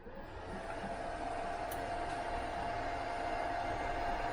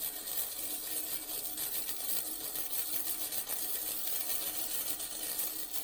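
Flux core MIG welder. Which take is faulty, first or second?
second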